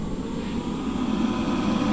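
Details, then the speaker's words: Northern Tool MIG 135 welder: rear cooling fan, previously not working, now fixed with a steady even whir, no rattle or scrape; wire feed motor still not working. "you can hear the fan motor working so that part's fixed"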